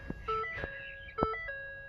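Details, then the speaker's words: 2013 Ford F150 after ignition switch replacement: crisp repeating key-in chime with sharp taps, steady; works now but a loose key cylinder often stops it working until tapped, possibly another electrical issue. "right now it works you can hear the chime but a lot of time there's so much play in this thing when I put my key and it won't work"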